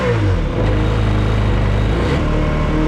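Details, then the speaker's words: 2003 Sea-Doo XP DI 951 two-stroke running out of water after a new voltage regulator, fuel pump and filters: steady, even, raspy note with no misses or knocks, holding much steadier than in the last test. "certainly holding a lot more steady than the last time I tested this"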